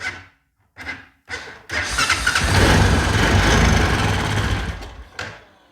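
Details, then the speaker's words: Honda Foreman ATV with a new starter relay, on a jumper box after suspected weak battery or bad starter: a few short cranking bursts, then it fires and holds an even idle; cranks and runs. "well ah I don't want to burn that new uh starter relay up but as y'all heard it cranks and runs"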